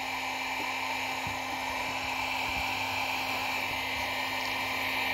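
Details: Cheap Chinese battery charger's small cooling fan after being cleaned and lubricated: it spins with a soft, even hiss and faint steady tone, no rattle or squeal, no longer squealing; runs smooth and quiet.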